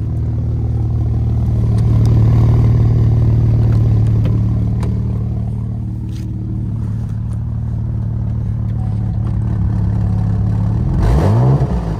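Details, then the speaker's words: 2014–2019 Cadillac CTS VSport with a loud, deep, hollow roar under the car that booms with revs, like no muffler; exhaust leak from a rusted, cracked hanger weld under the front seats, the hole grown large. "i had an open exhaust sound that's right the hole got so big that it sounded like i didn't even have a muffler on the car it was resonating in the car"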